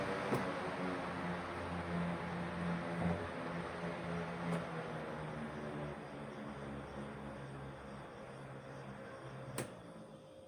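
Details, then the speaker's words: Electric fan after repair, tested without front grille: no longer noisy or vibrating at the back, strong steady rush of air with low hum, no rattle or wobble; noise and weak airflow were fixed by replacing the LC (capacitor). "para makita natin na na hindi na siya maingay to kakas na yung hangin niya"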